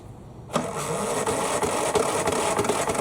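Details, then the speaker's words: Craftsman mower that won't start, compression still 60 psi, tried outside without the air cleaner: starter spins the engine with steady chugging about three beats a second, never fires; carburetor suspected next. "all right clearly that was a no-go but worth the shot"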